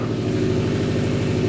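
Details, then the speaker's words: 2015 Subaru WRX STI, rebuilt EJ257 boxer, first start in neutral after rebuild: even, steady burble at idle with a regular low pulse and no knocks or ticks. Healthy idle, no fuel leaks. "Okay, checking for leaks. Oh, it sounds so good."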